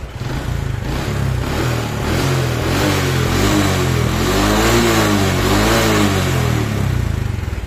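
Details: Honda Supra X 125 (KPH) with exhaust refitted after replacing piston rings and valves for white smoke: even single-cylinder beat rises and falls smoothly with throttle, no misfire or knocking; healthy, no longer smoking.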